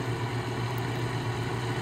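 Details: Goldstar WG5004 5,050 BTU window air conditioner fan on low: steady low hum with an even whir; spin-down fine; fan possibly out of balance, unconfirmed; clicking reported toward the end.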